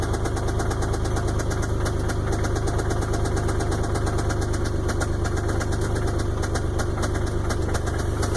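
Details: 1999 Isuzu engine at idle: deep, fairly regular knock about three per second over the idle, a bottom-end knock; main or rod bearings believed shot.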